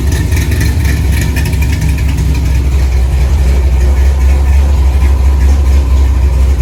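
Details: 1964 Chevy II Gasser, LS V8 swap with Holley Terminator X, after cooling system filled; fast even idle around 950 rpm set point (owner wants 800), steady deep burble, no misfire or ticking; normal idle.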